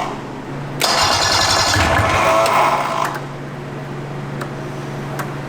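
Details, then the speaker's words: Roughly 50-year-old vintage snowmobile, barn-stored since 2003: catches with a ragged, uneven burst for about two seconds then dies; runs briefly then dies, misfire, owner suspects it is firing on only one cylinder or losing spark. "I wonder if it's because it's only on one cylinder. Dude, it's not even sparking anymore or something."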